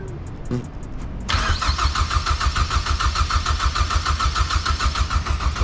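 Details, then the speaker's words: Engine cranks steadily for several seconds but never fires, on a BMW that had been running on five cylinders until coils and spark plugs were replaced; crank position sensor fitment questioned, cause not confirmed. "Yeah, I wouldn't fire."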